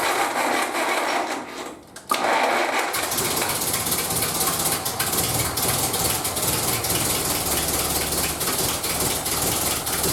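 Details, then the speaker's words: 1931 British Dodge Brothers UF-10 van engine, second start after restoration, timing set by eye: catches after a brief pause and runs with a busy, uneven clatter and ragged beat; suspected loose spark plugs. "Well, we've got some obvious problems, like I don't think all the spark plugs are done up."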